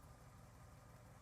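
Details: Old truck that sat 12 years, idling to charge after the alternator quit and the voltage regulator was found faulty and revived by tapping it: quiet, even low idle with a steady beat and no misses, ticks or whine.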